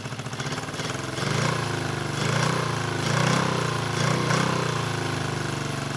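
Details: 1974 Honda CB350F four after 20+ years sitting, after the No. 3 carb blockage was addressed, fast idling around 1200 rpm: uneven, lumpy beat that surges and sags. Only cylinders 2 and 4 fire and 1 and 3 are dead; the owner suspects fuel but is unsure.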